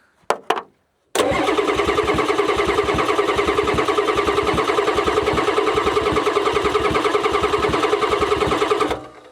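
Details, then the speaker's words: 1994 Ford F-Super Duty diesel dump truck that sat for years, injector lines cracked to bleed: starter cranks steadily at about three compression beats a second for eight seconds, never fires; owner suspects lost fuel prime; crank no start. "Let's crack one of those and we'll crank it and see if anything comes out. She may have lost her prime."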